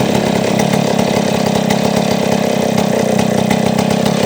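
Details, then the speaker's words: Chainsaw after cleaning a clogged carburetor idle passage that caused high idle, not yet adjusted: steady, even two-stroke buzz at a constant low idle without surging or dying; idle now lowered and normal. "So bumaba na siyang menor ngayon. Dati nataas yan ngayon."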